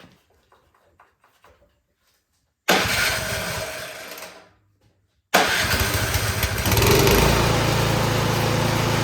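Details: Troy-Bilt Storm 2660 26-inch snowblower that was surging badly, after carburetor cleaning and reassembly: clicks, one start that dies, then it fires and settles into a steady, even run with no surging. Now runs great.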